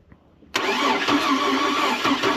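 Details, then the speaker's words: Oldsmobile Bravada crank-no-start that had been sitting: starter spins fast and unusually evenly without compression strokes and never catches; water came out of a cylinder. Engine judged blown, with no compression. "Okay. that was the noise I was hearing. This thing ain't got no compression."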